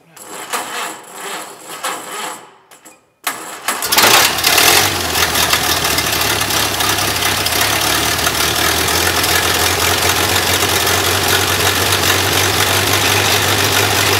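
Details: 1932 Ford Model B four-cylinder, newly rebuilt engine, first start ever after a starter fix: brief quiet cranking, then it catches and settles into a steady, even four-cylinder idle with no knocks; normal running.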